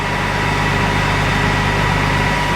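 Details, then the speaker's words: Combine diesel just restarted after about 3 months' repair (cam roller and valve adjustment issue); deep steady idle with even low rumble and faint constant tone, no knocks or misses, running smoothly. "see like I've been waiting dang near 3 months to hear that sound again I sure do feel relieved right now"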